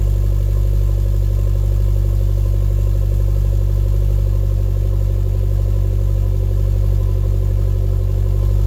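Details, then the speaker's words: 2012 Chevy Sonic hatchback turbo, cold start with new eBay cat-back exhaust: steady idle with a rhythmic puffing tick from an exhaust leak at a joint that was hard to tighten. "And we have an exhaust leak, right where I was worried about."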